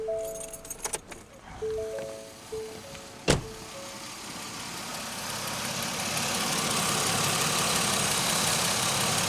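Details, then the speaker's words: 2003 Pontiac Grand Am GT after an extensive top-end rebuild: warning chimes, then engine catches and settles into a steady, even idle without knocks or ticks; engine sounds good. "so we got a good horn we got a good light the engine sounds good"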